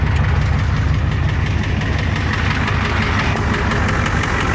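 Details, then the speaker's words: Ford 7.3 IDI diesel, hood open: rough idle with a repetitive knock over the clatter, heard inside the cab; owner suspects number 5 cylinder or injector, possibly serious, not confirmed. "So here's a video of my 7.3 IDI, hood open, with that knock-in sound. As you could hear, the knocking sound inside the cab."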